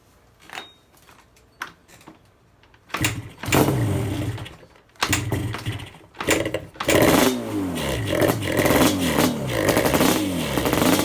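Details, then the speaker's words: 1987 Yamaha Banshee two-stroke twin, after carb clean (clogged pilot jet; left cylinder had been weak without choke, only one pipe smoking) and carb sync: a few coughs, then a crisp, even buzz with clean rev blips; running properly. "chess as you can tell the bike is running much better i did go ahead and sync the carbs as well"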